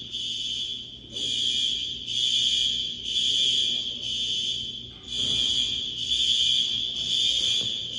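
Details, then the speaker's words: High school fire alarm horns after a new card was fitted with jumpers switched from non-temporal: shrill high blasts about once a second with gaps and overlaps between sections; horns still not synchronized, fix unsuccessful. "okay still the new card in there but this time jumpers switched around from not on temporal just gonna go for it I guess hopefully all right nope still no good"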